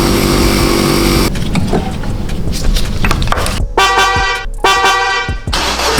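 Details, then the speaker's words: BMW E36 drift project car engine running with no exhaust fitted: loud, raw, blatting Harley-like bark with lumpy, uneven idle; spark plugs were black, owner suspects overfueling. "Oh, baby! I don't like the fact that it has no exhaust. Sounds like a Harley Davidson."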